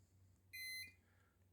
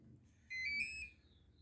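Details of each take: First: Electric motor speed controller after motor replacement and throttle calibration, reconnected: short, clear high beep stepping between two notes, then silence, the normal power-up tune. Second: RC boat with a replacement motor, bench-tested at power-up with the battery connected: one steady, high-pitched beep lasting about half a second. It means the speed controller isn't calibrated to the remote, which also happens after changing the controller.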